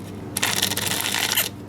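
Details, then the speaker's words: Opened 8-track cartridge of America's 1972 self-titled album: scratchy, rasping grind in uneven bursts as the tape winds, not smooth. Lubricant bound up in the tape pack; owner will likely toss it as unplayable. "The lubricant seems pretty bound up in here. You hear all that noise, it's not smooth."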